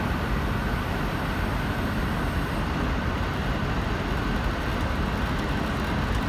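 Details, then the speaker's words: Payne air conditioner indoor air handler in closet running on cool mode: steady, even rush of air over low hum, no rattles or squeals; running good. "so for the indoor unit it's running good it's already on cool mode right now it's running on cool mode"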